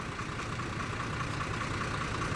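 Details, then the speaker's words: S700 truck in good condition, engine described as very smooth: even diesel clatter at steady beat, flat pitch, no misses or knocks; normal idle. "นี่แจ๋วเลยครับคันนี้นี่เครื่องนิ่มมากเลย"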